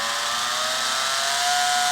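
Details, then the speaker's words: Sealy SuperMig 150 welder tested after repairing the feed motor control PCB. Trigger on, wire feed motor gives a steady high whine at full speed, climbing slightly near the end. Owner unsure motor polarity was restored correctly. "so we'll put the trigger on you can hear the motor so there we go now the motor's at full speed at the moment to stay on"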